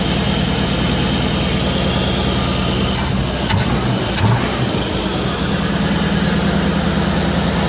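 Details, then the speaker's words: 1966 Ford Ranchero V8 after its spark plugs were put back, with good spark and fuel, just started and still warming up: a steady, even low idle rumble with a couple of handling clatters. Running much better, a normal idle. "oh that sounds [Music] better that oh yeah got to warm up a little bit and we'll go a couple times and see what it [Music] does SS a lot better"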